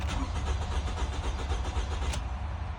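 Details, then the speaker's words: 2014 Toyota Camry four-cylinder that shut off while driving and won't restart: steady, rapid starter cranking with no catch at all, a crank-no-start. "All right. Engine turns over, so we have a crank no start situation."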